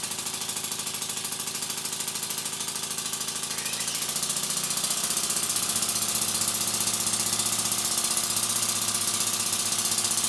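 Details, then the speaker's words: Stuart S50 model steam engine (5/8 in bore, 1¼ in stroke) at "warp speed" on compressed air from a Bambi BB50D compressor: very rapid, even chuffing under strong airy hiss, picking up slightly in pace. Normal, healthy running. "and here we go an s50 at warp speed"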